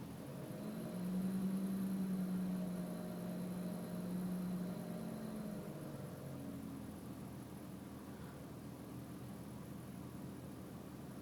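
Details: BMW 3.0 M3 petrol engine idling with foot off the accelerator, apart from one blip about 45 seconds in: a low, slightly lumpy beat, a rough idle from a misfire.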